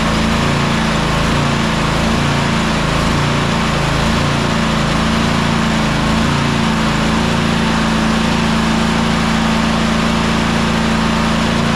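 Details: Toro Timecutter SS5000 zero-turn (model 74731), Toro-branded Loncin engine, after carburettor replacement: steady even drone with quick regular beat, no misses or surging; healthy.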